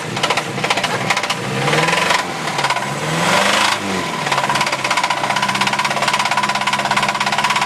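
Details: Mazda B2000 engine revved hard: heavy, hammering rod knock that speeds up with rpm and pounds at every rpm; badly worn rod bearing.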